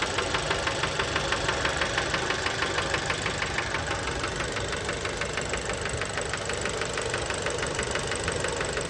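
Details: Fiat Bravo 2 1.4 T-Jet 150 HP, 215,000 km, after recent maintenance, recorded close to the engine: steady knock about three per second over the idle, following engine speed; worn rod bearings, cause unknown, car scrapped.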